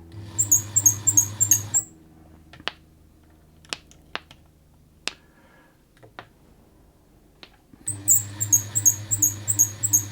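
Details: Bernette 50 sewing machine in for a service, badly noisy from lack of maintenance and lubrication: a sharp, high chirp about three times a second while it runs, stopping when it stops. The source of the squeak is still being tracked down.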